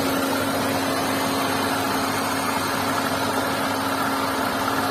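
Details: Hyundai Santro 1.1 litre engine at steady idle: fine, even whirring hum with a constant mid-pitch tone over it; abnormal engine noise, cause unclear.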